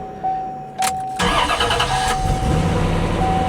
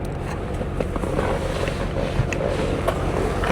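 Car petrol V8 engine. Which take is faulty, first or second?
second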